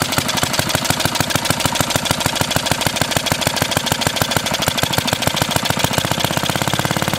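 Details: 1936 Briggs & Stratton WM washing-machine single-cylinder engine, before ignition coil and points work: fast popping beat with uneven gaps and sputters, running and missing; owner suspects the points, likely ignition fault, unconfirmed.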